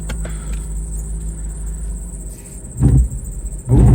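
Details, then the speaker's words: Alfa Romeo 156 V6 with no drive, weeks after a garage replaced the passenger front wheel bearing; engine starts normally, ABS light on, slight auxiliary belt noise, then heavy rough grinding bursts as it tries to move. "oh oh that doesn't sound very good I am going to try and Limp it into the garage while it's moving though"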